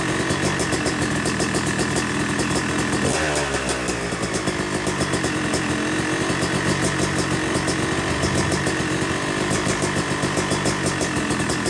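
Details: Yamaha YZ250 two-stroke motocross bike (270cc/250cc) after full engine rebuild (bottom end, transmission, bearings, clutch, power valve), second start-up after cooling, warming to about 100–125 degrees: crisp even idle with gentle blips settling cleanly; normal idle.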